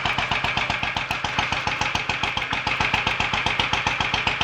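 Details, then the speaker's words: Royal Enfield 500 Bullet idling just after its first start following top-end tuning (ported head, reseated valves, high-compression piston, retarded inlet cam), not yet warmed up; even steady single-cylinder thump, clean idle, no knocks or misses, sounding healthy. "sounds quite happy new life that I'll run it for a little while get it warmed up check a few things over"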